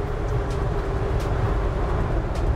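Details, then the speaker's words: 1985 Dodge Ram D100, 32k original miles, recently revived from barn storage with new carb and plugs: cruising about 50 mph downhill, steady drone under road rumble, A/C compressor cycling on, no knocks or whine; runs smooth. "running really smooth going downhill right now you can hear the compressor kicking on with no issues"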